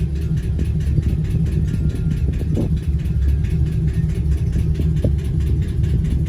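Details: 2010-2015 Chevrolet Camaro SS LS3 V8 at idle: a fast, even tick rides over the deep, steady idle; lifter tick or rod knock, not settled. Cause suspected, not confirmed.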